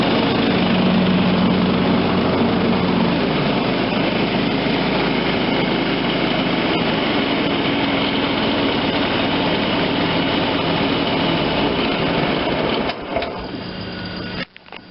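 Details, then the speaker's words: John Deere LT160 automatic lawn tractor, Kohler Command 16 hp, 42-inch deck, running with blades and hydro drive engaged: steady even drone under load, no misses or surging; normal running after repairs. "hey i think we got a winner here folks lt 160 automatic 42 inch edge deck in good running condition come from a junkyard dog that's what i call recycling all of it"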